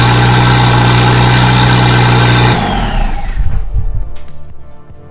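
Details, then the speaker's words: Volvo 745 turbo at its first start after installing the turbo, exhaust manifold, and oil and coolant lines: smooth, even idle sitting a bit high as if cold, no knocks or ticks. It runs well but is smoking and smelly after the rebuild. "oh man she's stinky um yeah she's running guys sounds good"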